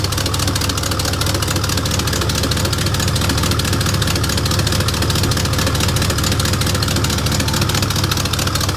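Steady idle with a loud, raw exhaust note and a fairly even puffing chuff riding over the low rumble, typical of a sizeable exhaust leak.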